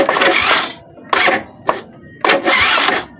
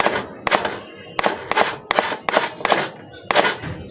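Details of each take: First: Suzuki Smash 110 motorcycle starter motor tested on the ignition: three short whirring bursts, one per button press, each spinning up freely; starter motor working normally. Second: Suzuki Smash motorcycle that won't electric-start. Pressing the button gives only sharp single clicks about two per second with no motor spin: the relay and bendix work but the starter motor is dead.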